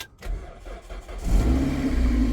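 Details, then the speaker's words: Toyota MR2 Mk3 with new battery, jump-started out of gear: about a second of starter cranking, then it fires cleanly and settles into a steady, slightly cold idle; healthy start. "Starts up. And I'm just going to let it run for a while."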